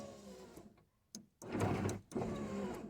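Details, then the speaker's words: 1994–2004 Ford Mustang power window after fixing popping by tapping the regulator bracket teeth so the gears don't pop out: steady motor hum in short strokes with crisp stop clicks, no popping or skipping. "Okay, as you can see, window is up all the way up, so rolls down, no issue"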